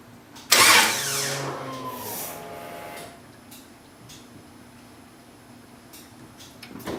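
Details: Engine after fixing no fuel delivery and a loose fuel pump wire: about two and a half seconds of starter cranking, then near silence with no catch into idle.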